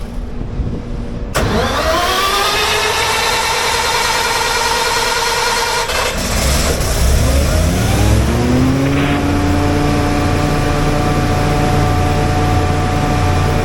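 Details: Generator started again during minor service while its output voltage is checked: catches after a second of silence, then settles into a steady, even run with no knocks or misses; normal running.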